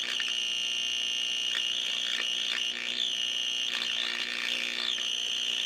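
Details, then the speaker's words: 1934 Grunow 501 five-tube transformerless radio at 100 volts, original tube layout, before recap: harsh shrill whistle and crackle over faint ghosts of stations; receiving and processing signal but badly distorting; full recap planned. "what that tells me is that it is picking up signal it is processing signal although it's distorting the living daylights out of it"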